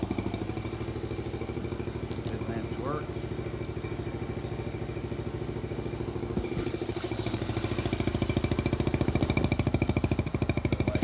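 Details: Rebuilt 1971 Honda CT90, rebuilt top end, valve job, new clutch, gaskets, points and plugs, kick-started: quick even putter holding a steady idle, picking up slightly toward the end, no knocks or misses; runs healthy.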